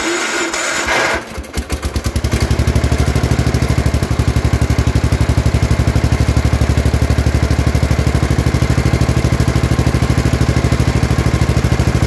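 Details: Gravely 814 tractor that sat outside for years, restarted just after an oil change: cranks briefly, catches, then a steady single-cylinder putter of about three beats a second. Running normally; battery at 12.5 V, apparently not charging.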